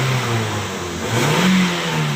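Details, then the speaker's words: Toyota Vios after repair: a P0352 ignition coil primary fault was cleared. The engine now picks up smoothly from idle and drops back cleanly with no stutter, running normally with no more misfire. "untuk bagian mesin sudah normal teman-teman ya Jadi tidak brebet lagi"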